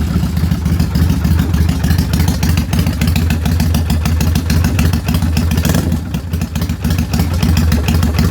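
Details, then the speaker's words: Kawasaki Vulcan 800 V-twin, carbureted, idling slow, uneven and luggy because idle speed is set too low, lights dimming. "it's okay for the most part but it's a little luggy so I just want to uh bring it up just a tad bit"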